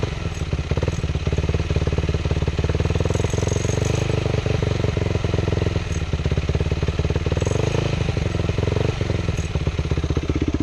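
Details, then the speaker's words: Recently bought Yamaha WR450F supermoto single-cylinder revved high: busy, rapid rattle over the exhaust; owner suspects crankcase or timing chain, ruled out a loose bolt, can't feel the rattle. "once I got once I get up high in these RPMs um there's like a rattling noise and I'm going to try to do my best for you guys to hear"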